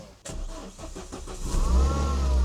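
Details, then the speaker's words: Renault Clio RS200 left nearly abandoned four years, heard from the rear on a jump-start clip-on power: brief crank, then catches at once into a steady, even idle with no misses; normal cold start. "We're in. We're in. That started like an absolute beauty, didn't it?"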